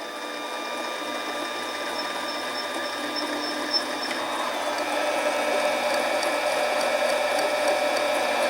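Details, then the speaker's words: Harbor Freight 7x10 mini lathe turning a rough aluminum tube: quick, regular tapping about three times a second over the lathe hum as the cutter hits an open gap each turn; interrupted cut until the surface cleans up. "now when you've got the bit going through there and cutting and not cutting you got more you can still see that there"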